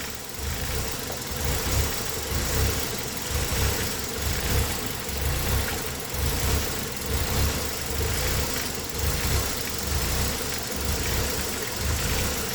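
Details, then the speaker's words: Engine with code P0400: idle surges and sags about once a second in an uneven lope during vacuum-leak tests (manifold pressure watched, water sprayed); the idle changed. The cause was later found to be an EGR valve stuck open. "I heard it changed idle. It did change idle."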